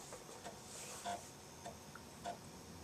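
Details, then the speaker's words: Dragon 32 with Tandy CoCo disk cartridge loading a downloaded program from floppy: irregular soft ticks and chirps about once a second from the head stepping; drive seeking normally. "I'm sure you can hear the disc cooking away there let's see what's going to load up now"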